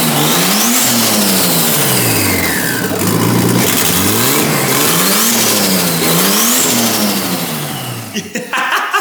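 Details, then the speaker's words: R32 Skyline barn find, RB20DET with new turbo and intercooler, running after install, no exhaust fitted: loud open-pipe revs rise and fall with faint flutter on throttle close; turbo flutter, running cleanly. "Nah, she's all good. It's just a little bit of no exhaust. You can't really hear you can hear a little bit of flutter though, which is awesome."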